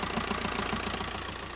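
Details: 2009 VW T5 diesel knocking only when cold; dull regular knock over the idle clatter, fades when warm; suspected dual-mass flywheel near end of life, not confirmed.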